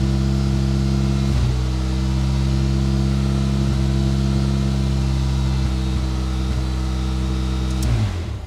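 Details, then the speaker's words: 1993 Geo Tracker that would not start, after cleaning the fuel injectors with carb cleaner: on the first start the four-cylinder hums deep, steady and even with no knocks, then drops off; it sounds pretty good, though it stumbled a little. "I think she sounds pretty good don't you"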